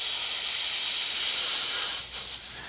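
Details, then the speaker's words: Mid-1930s 228 lantern fount releasing pressure held since its last run weeks earlier: steady loud airy hiss tapering as pressure bleeds off; held pressure, showing no leaks in fount or valve. "so that's a pretty good sign right there so that fount has been pressurized since the last time since that video was made so it's held pressure that long so that's excellent it shows that we don't have any kind of leaks uh in here uh or the valve or anything like that"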